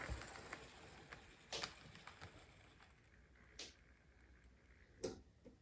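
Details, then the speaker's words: Budget SD40-2 model locomotive after a cheap replacement motor upgrade, running at speed around a bend: quiet, even hum with light wheel clicks at rail joints, much quieter and smoother than before; normal running. "that was kind of unfair try to get it to slow down on a Bend but you get the idea much quieter much smoother"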